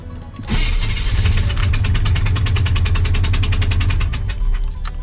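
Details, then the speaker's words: 1989 Chevy C1500 Silverado 305 (5.0L) small-block V8, rebuilt after head gasket failure, first start after new distributor: lumpy uneven idle missing a beat because the number one spark plug was left out; dead cylinder misfire, otherwise runs better. "like we're missing a cylinder oh yeah because i forgot to put the spark plug back in number one it still ran"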